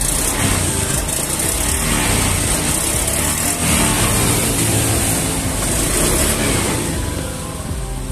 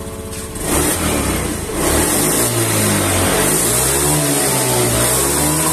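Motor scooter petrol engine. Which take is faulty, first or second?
first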